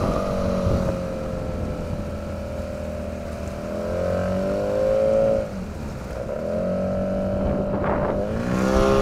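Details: 9.8 hp outboard motor under load; a thin whistle like squealing brakes rides above the drone and rises and falls with engine speed. Cause unclear.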